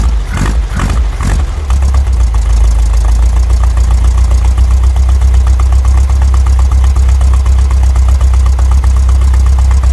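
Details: VW Brasília (Fusca-type engine) just converted from points to a cheap Chinese Hall-sensor electronic ignition distributor: a few cranking bursts, then a low, fairly even rumble near 600 rpm, ignition timing not yet set; wind noise on the microphone.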